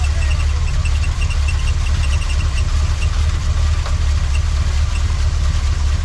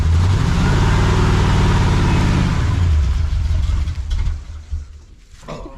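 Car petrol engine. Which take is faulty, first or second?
second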